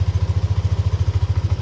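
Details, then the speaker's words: Yamaha Aerox (old model) scooter started after replacing faulty CKP crank position sensor and clearing fault code: cold idle at 35 °C with an even low putter about ten beats a second, no stumbles; runs normally. "Kawan-kawan, kita nyalakan. Untuk motornya bisa dinyalakan"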